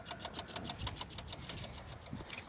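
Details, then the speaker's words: Car fails to crank after remote auto-start attempt; fast steady clicking about six per second from the fuse box, stops with key inserted, engine won't turn over; relay cycling, cause unknown. "and there's a clicking noise coming from the fuse panel and the fuse box in the car and no idea what it's doing"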